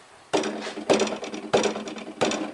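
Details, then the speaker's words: 1993 Mercedes 300E W124 4Matic: four hollow metallic rattling bursts about every 0.6 seconds with little engine hum beneath, loose catalytic converter substrate breaking up inside its shell. "cat breaking up on this. Can you hear it?"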